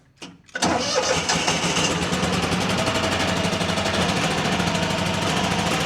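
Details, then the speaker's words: Terramite T5C backhoe Kohler Command engine after flywheel and stator work for charging system repair, cold weather, first start: cranks, catches and settles into steady quick even putter, no knocks or misses; normal start and idle. "Oh, yeah. That sounds just fine. Sounds like it always did."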